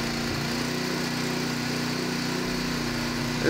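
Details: Honda HS35 snowblower engine, previously abandoned and not running, started after turning the fuel valve on to fill the bowl: settles into a steady, even buzz with no misses or surging; running cleanly.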